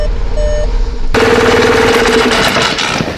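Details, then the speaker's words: Golf 7 GTI, fresh battery, no oil in the engine, damaged sump: a few chimes, then the engine catches at once and settles into a steady, even run; starts and runs normally. "Okay, at least that is a good thing. The car starts. That is splendid news."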